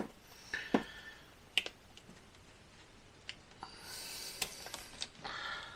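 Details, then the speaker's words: 1976 Jaguar XJ12 V12 replacement engine, injectors briefly hit with 12 volts to free them after long storage: sharp, irregular single clicks, some faint; good injectors click and spray fuel, about three clicked weakly and one not at all. "so let's see so that one's good it's clicking and I actually heard some fuel spray that one as"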